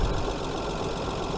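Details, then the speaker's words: Hyundai Sonata 2.7 V6 after cambelt and water pump change: even settled idle, steady low rumble, no squeal or chirp as it warms; previous cold-day belt or water pump bearing squeal gone. "But yeah, it's all good, all okay. And you're quietening down now."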